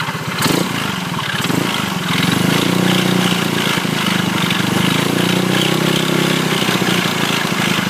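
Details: Engine that suddenly stopped after an incident: steady idle with an uneven, rough pulsing throb and a coarse rattly edge on top; abnormal engine noise at idle, cause unclear.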